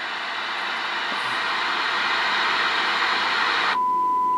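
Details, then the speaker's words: Kenwood TM-451 UHF radio on bench power supply, in for processor failure and PLL/VCO troubleshooting, squelch at 0: static hiss, then a clean steady tone as the receiver gets signal at 6.8 volts; normal received test tone. "with 6.8 volt already we have signal. We have signal and we hear our tone."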